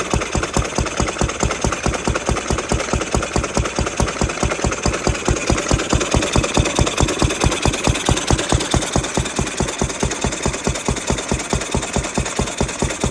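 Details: Ruston 6PS stationary petrol engine, belt-started after remounting the magneto so its drive coupling stays engaged: slow, perfectly even firing at a bit over two beats a second with no misses; running well.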